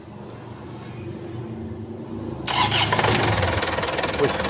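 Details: Isuzu Panther 4JA1 turbo diesel after relining with Toyota Hilux liners, first start to check for remaining leaks: short cranking, then fires and picks up to a steady clattering idle; catches readily and runs evenly.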